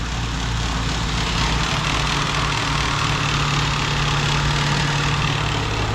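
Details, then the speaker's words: 1987 BMW 528e (E28) with 4HP22 automatic transmission: the noise and slipping started after a fluid and filter change. Now a steady, even idle hum with no whine or grinding, and it engages gear faster. The cause was a clogged transmission filter. "I think that was it. Jerome, that fixed it. And it's going into gear a lot faster. Yeah. Clogged filter in the transmission. That's what that noise was."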